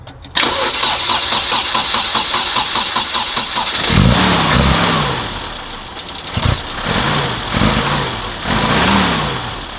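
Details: Vintage BMW 2002, started after everything reseated with a kit to stop it leaking gasoline: engine catches after brief crank, idle surges and dips unevenly between blips; sounds healthier, apparently no fuel leak, but needs idle adjustment.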